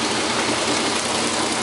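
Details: Whirlpool Clean Touch washer, newly installed, in fast rinse after strong agitation: steady rushing water hiss with an even drone underneath, no knocking or scraping; normal rinse.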